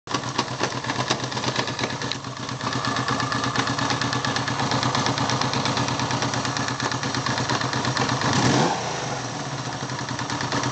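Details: 1978 Yamaha XS750 engine at steady idle: fast even patter with a faint mechanical whirr on top, gear noise inside the engine.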